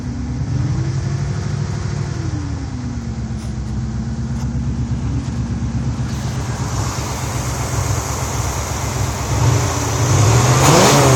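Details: 1986 Chevy Caprice idling unevenly then stumbling on throttle, bogging out; carburetor, distributor cap, rotor, coil, plugs, wires, EGR, PCV valve, fuel pump and line already replaced.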